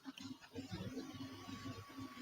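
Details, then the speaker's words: Creality CR-10 Smart 3D printer running: soft even fan whoosh with a faint steady tone and no stepper motor or driver whine; printer running quietly and healthy. "okay so that's the the noise from the fan but you don't hear any noise from the stepper motor or the driver there's no frequency sound anymore"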